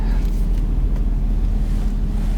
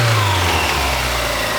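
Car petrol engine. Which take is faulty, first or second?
second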